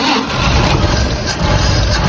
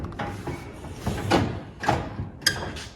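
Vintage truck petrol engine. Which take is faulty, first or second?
second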